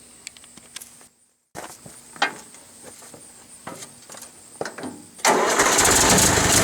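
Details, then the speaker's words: International IH 354 tractor running, spitting and sputtering after running fine a minute, worse after 30–40 minutes of bush hogging; irregular pops and misfires, carb suspected first but cause was dirty misadjusted ignition points, fixed with new points and condenser. "So there you can hear it spitting and sputtering. It kind of will run good for a minute and then it'll start doing this."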